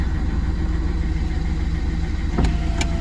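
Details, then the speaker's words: 2011 Citroen C3 1.4 HDi diesel after a fuel filter change and bleed (code P0087), fan off and window up; steady, even low diesel clatter with no stumbles or hunting, correctly bled, smooth idle. "So there you can see, nice smooth idle. It's been bled correctly. We've got smooth running."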